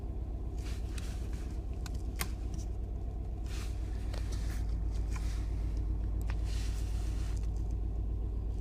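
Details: Mini R55 JCW at idle with codes P0301 and P0303: a lumpy, deep rumble stumbling about four times a second. Misfire on cylinders 1 and 3, ultimately traced to a failing high-pressure fuel pump.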